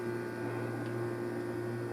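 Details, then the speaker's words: GE refrigerator not cooling while freezer worked, after replacing a defrost system part: steady low compressor hum with an even evaporator fan whir, no clicks or rattles; both running normally. "and that's running too okay we're good"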